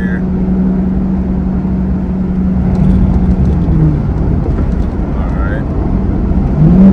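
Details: 2002 Chevrolet Camaro Z28 LS1 V8 with automatic transmission, driving on the road: steady V8 drone, revs climb very high without shifting gears when on the gas; automatic transmission slipping.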